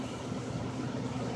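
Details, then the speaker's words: Goodman furnace after a new blower motor was fitted. Smooth, even, low hum with steady airflow and no rubbing, which it had before replacement. Normal blower motor running after repair. "but the blur mode is running and it's quieter than it was before too it had a little rubbing noise before or something i don't hear that"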